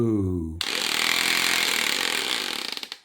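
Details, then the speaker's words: Makita 8400D 9.6V cordless hammer drill with original NiCd battery, after cleaning corroded push-switch contacts: brief motor hum then fast rattling hammer action winding down; hammer mode working normally after repair. "can hear the hammer. Push that the other way. Drill. Hammer. Drill."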